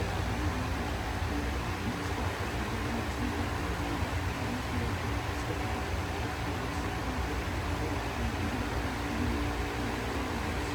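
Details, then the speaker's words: Lasko fan running on medium, the only speed where it hums: steady low hum with soft airy rush and faint even tone, quieter than the old unit, with normal startup sound; normal motor hum. "there you go it makes the humming sound just like I would hope it would and it has the starup sound"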